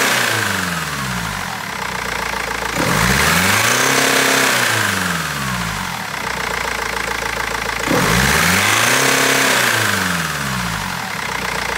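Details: BMW 320d diesel idling with a sharp rhythmic clatter and an uneven, stumbling beat as revs swing, with misfires; injectors or tappet suspected, cause unfound by garage and seller after over a month.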